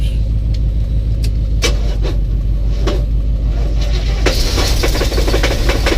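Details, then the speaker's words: 1984 box truck, first start on old fuel: idles with a loose, irregular tick about twice a second over a heavy rumble, not like an exhaust leak; owner suspects a cracked or loose flywheel or torque converter; ticking knock. "what I'm hearing doesn't sound like an exhaust leak tick it sounds like something like a flywheel like a cracked flywheel or a loose flywheel or torque converter or something like that"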